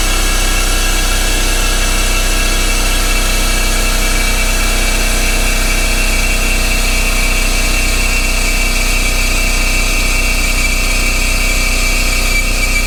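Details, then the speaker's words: Coolant vacuum filler on a 2011 Audi S4 B8 just fitted with a 2013 CGXC supercharged 3.0T engine: steady hiss with a constant high whistle that shifts near the end, usually meaning maximum vacuum has been reached (otherwise possible tool failure). "this noise pretty much indicates either either the failure of this tool or typically it indicates that I am reached the most vacuum that I can pull from the system"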